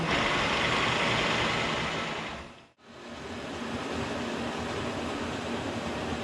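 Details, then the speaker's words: K&T milling machine, first run after oil-system flush and refill with oil: stepping through the feed gears for table, carriage and knee, up to about 4.25–4.5 in/min, with the table moving. Even gear whir and hiss, brief stops, smooth restarts, no grinding. Normal gearbox. "I'm just going through the gears that change the table speed movement or the carriage or knee in relation to, I guess, the spindle RPM."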